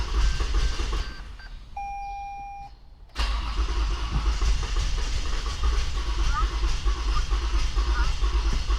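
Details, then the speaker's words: Toyota Avalon with hard starting: rough cranking, a pause with a warning chime, then it catches into a low uneven idle; long cranking and misfire because water got into the fuel line and injectors. "Pero ano lang ito malamang long cranking ito tapos palyado kasi may mga tubig pa doun sa sa common rail or sa linya ng sa tubo ngor spark plug."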